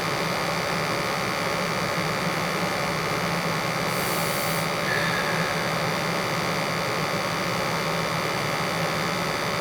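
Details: Newly installed 80+ gas furnace during a combustion check, 36–37 ppm (under 50), before the gas valve regulator is backed out slightly to lower pressure: steady even burner and blower roar with a constant low hum, no pulsing; running normally.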